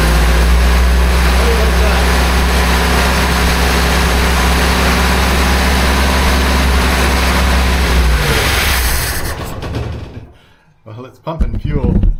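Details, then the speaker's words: 1976 BMW 2002 carbureted engine during restoration, vacuum lines plugged off, little fuel in the float bowl: steady cranking for about eight seconds without catching; cranks but no start, fuel possibly not yet reaching the carburetor. "up to here, but I don't think it got enough into the carburetor to make a difference yet."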